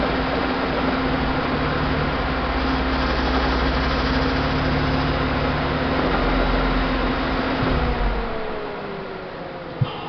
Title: Engine knock